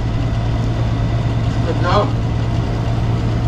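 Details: Window-type aircon condensing fan motor running with a constant low drone and a brief rough whirr, the noise traced to a worn fan motor bearing; the fix is replacing the bearing and the compressor rubber.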